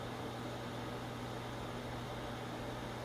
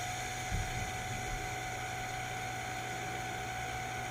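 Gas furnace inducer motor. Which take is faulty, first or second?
second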